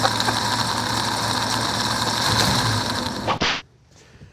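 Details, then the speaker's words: Worn water pump on a 1949 Chevy 3100 truck with its vintage straight six: steady whir and light, uneven ticking over the idle before shutdown; faulty pump to be replaced with a reman unit before road testing. "now that noise you heard was a faulty water pump"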